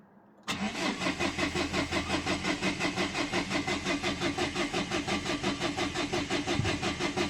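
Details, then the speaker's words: 2011 Dacia Sandero Stepway, 1.5 dCi diesel, with a rail pressure sensor fault code. The starter cranks at an even pace, about three compression beats a second, but the engine never fires: cranks, no start. The cause was still unknown and the car was towed to the workshop. "Evet arkadaşlar çalıştıramadık. E ne olduğunu bilmiyoruz. Şimdi arabaya müşürden arıza kodu veriyor."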